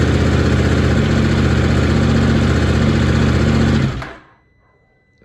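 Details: KTM 790 Adventure twin at about 31,000 km, which had been hard to start, running after a valve clearance check (0.12 and 0.15 mm, in spec) and reassembly: steady, even throb for about four seconds with no ticking or misfire, then a clean shutdown.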